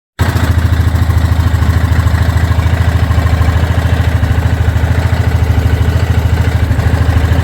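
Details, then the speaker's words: 2023/2024 Yamaha Grizzly EPS ATV: strong, even thumping about three times a second over a steady engine drone, an odd rhythmic slap; cause unclear, rider thinks the CVT belt sounds like it wants to jump off the pulley. "I don't know what that noise is but I don't think it's supposed to sound like that to me it sounds like that CVT belt wants to jump off the pulley crazy"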